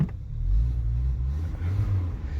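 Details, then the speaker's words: 1988 VW Jetta automatic at idle: deep, uneven, loud rough exhaust rumble from a massive exhaust leak; battery light on, oil pressure light intermittent from fuel diluting oil via valve stem seals. "usually it sounds a lot cooler it has a massive exhaust leak"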